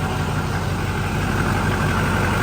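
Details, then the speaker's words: Diesel truck idling after fitting a brand-new pulley, belt tensioner and belt; deep, even idle with no belt squeal or chirp where it usually squealed on startup; accessory drive quiet and healthy. "well no squealing this is awesome usually when I start it up you hear the belt squeal so it's quiet check it"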